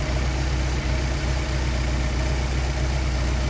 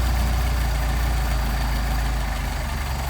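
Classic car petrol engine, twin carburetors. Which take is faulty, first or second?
second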